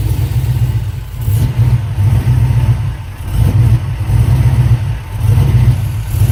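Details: 5.3 V8 swap idling with a deep, lumpy, uneven beat and surging revs, stumbling as if dropping cylinders; misfire with fuel pressure suspected. Cause not confirmed.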